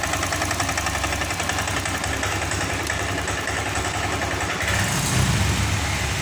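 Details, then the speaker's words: Honda Vario 125 FI scooter stumbling (brebet): revs won't rise whether throttle is opened suddenly or slowly; uneven, choppy firing that never settles and barely picks up. "Jika digas spontan ataupun perlahan, motor ini gasnya tidak mau naik, maks"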